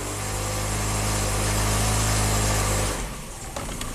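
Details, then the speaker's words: 1997 Kia Sportage 4x4 after surging-idle repair: steady, even hum, idle slightly raised while throttle is preloaded then settling lower, no surging or hunting; fuel trims within 3%, TPS 11, believed fixed, healthy idle. "I really think this little truck is fixed here, but we'll take it on a good test drive and make sure."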